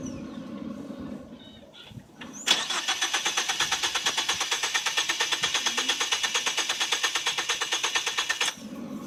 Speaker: forget it this is the about third section of tries to start this car I'm about as fed up as can be